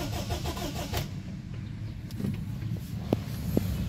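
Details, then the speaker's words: Honda Accord, cranks but won't start, already brought back unrepaired: low, uneven starter churning with a few clicks and never catches or fires. Failed ECU not powering up. "Ayan guys, another day, another trouble shooting, Honda Accord cranking nagi-start."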